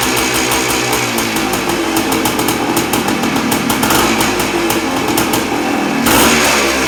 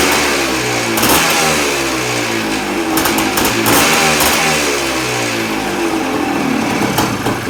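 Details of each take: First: 1979 Suzuki PE250 two-stroke just fitted with a new 38mm carburetor (old float stuck, leaked, hard starting), started on choke: loud ringing exhaust pulls cleanly through repeated throttle blips and settles back without stumbling; runs strong. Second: 1979 Suzuki PE250 two-stroke with a newly fitted 38mm carburetor, started without choke: raspy idle stumbles unevenly, fades and dies after about eleven seconds; idle needs adjusting.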